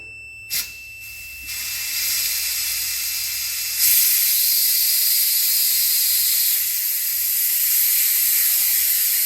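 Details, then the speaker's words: Homebuilt diesel amphibian aircraft's amphib landing gear actuator, bench-rigged and driven by air, retracting; steady air hiss that swells then holds until it hits the up micro switch; gear up, normal retraction. "Yeah, so it went away for a second, and then it hit the other micro switch. So now the gear's up."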